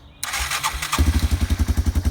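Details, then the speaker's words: Yamaha ATV engine right after carburetor cleaning, reassembly and float adjustment; starts on choke at first pull and settles into an even, steady putt of about eight beats a second with no misses; normal start and idle. "Pull the choke. Starts right up."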